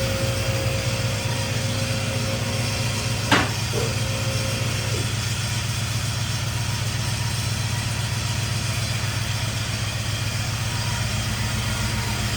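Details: 1951 Chevy with LS swap, first start-up: uneven, lumpy V8 idle with a rough, loping beat; running on only four cylinders because the injectors on one bank aren't firing.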